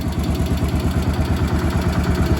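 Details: Cub Cadet 1250 hydrostatic garden tractor's single-cylinder engine, which sat 20 years under a barn shelter, running after carburetor adjustment: steady even thump with deep low rumble, no skips, hunting or smoke; normal smooth idle.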